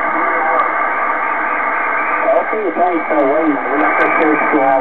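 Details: Kenwood TS-2000 on 15 m upper sideband with its built-in noise reduction on. Voice comes through watery and warbling, syllables smeared and hard to read: noise reduction distorting received audio.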